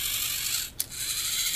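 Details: VEX 393 high-strength 2-wire motor, gear train turned by hand. Fine, high-pitched whirring of small gears, smooth and free with no grinding or skipping; the gears are good.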